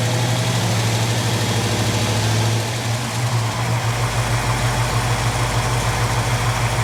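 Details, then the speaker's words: Jeep CJ-7 AMC 304 V8 with a Summit 8600 mild performance cam, good oil pressure, no pinging: deep, steady idle with a loping beat about three pulses a second; normal idle with performance cam lope. "that Summit model 8600 mild performance cam they put in this motor, it's pretty sweet. It's got a really nice lope to it."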